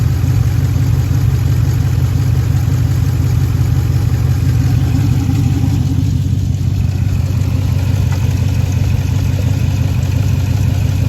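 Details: 2013 Jeep Grand Cherokee with a P0305 misfire on cylinder 5 (left bank), heard at the exhaust at low idle. The uneven, stumbling beat comes with smoke from unburnt fuel, caused by a bad lifter and a worn camshaft lobe.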